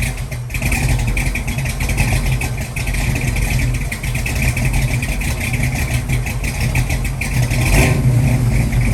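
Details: 1966 Mustang 289 built to a 331 stroker with hydraulic roller cam, first startup and tune-up, timing set at 10 degrees rising to 40 with mechanical advance; fresh V8 burbles, rising and falling with throttle, firing steadily without knock or tick; normal running.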